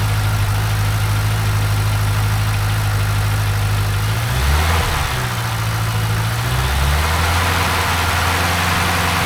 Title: LS7 Ticking Sound